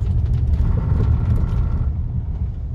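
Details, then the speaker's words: Pickup truck braking hard from about 60 km/h on new asphalt with loose stone grit, after disc and pad replacement; heavy low tyre-road rumble with a brief fine buzz on top; normal ABS activation. "Oi e esse barulho aí moçada é o ABS beleza"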